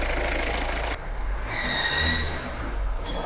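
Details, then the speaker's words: Kia Sorento 2.2 diesel (D4HB) at idle after blanking the extra EGR valve: a thin high whistle over the low rumble from a worn turbocharger, already judged beyond saving at diagnosis; the cause was the second EGR valve feeding debris into the turbo's cold side. "этот свист слушайте это то есть это свист уже очередной турбины дело в том что клиент уже хочет до ездить но не все до конца тут она в аварию не стала ну на самом деле то есть когда человек приехал на диагностику то есть уже сказали что турбокомпрессор не жилец"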